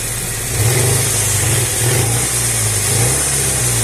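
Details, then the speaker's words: Car still being driven with a knocking engine while awaiting a connecting rod: not heard at idle; dull, deep knock under rising revs above about 2000 rpm, connecting rod knock. "Вот так я ездию до сих пор на стукам двигателе потому что запчасть такую как Шатун заказать долго"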